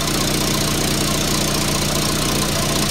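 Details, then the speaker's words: 1994 Volvo 480 2.0 ES idling after fitting a new front downpipe and catalytic converter: rough idle with sharp hissy puffing chuff each beat, exhaust blowing out at leaking joints; owner suspects the donut gasket got damaged, water spitting from joints. "I really cannot stop it it's blowing everywhere now so what I think's happened is the donut has now become damaged because I've moved things around"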